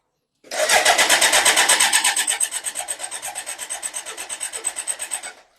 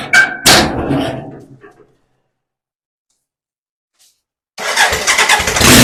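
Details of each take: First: BMW K100 motorcycle with a fuel leak: starter cranks steadily about three turns a second for five seconds, no firing; fuel pump confirmed not working, crank no start. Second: BMW K100 motorcycle on a jack, starting after fuses cleaned and fuel pump primed, on choke: engine catches quickly and, after a brief pause, revs up loud and clean with no knocks or misses; runs.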